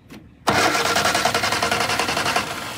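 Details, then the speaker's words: 1962 Austin Healey Sprite Mark II, long-sitting car, after removing an extra ground strap: starter engages sharply and cranks the engine at about three and a half even beats per second, healthy strong cranking. "i have that ground wire removed let's check real quick make sure the starter still runs"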